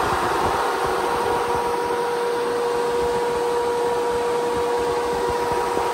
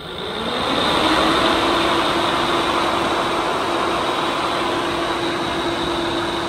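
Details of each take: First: Replacement SPAL 13-inch brushless sealed-motor radiator fan for a Kawasaki KRX 1000, bench-tested on a desk and ramped up after the noisy 1500-mile factory fan: steady even whoosh, clean constant hum, no rubbing or ticking; healthy fan. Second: Factory OEM radiator fan from a KRX 1000, about 1500 miles, bench-run on a 12 V supply drawing about 10 amps: loud fan drone with a constant hum and a high whine, rough and noisy; worn fan motor the owner expects to fail soon.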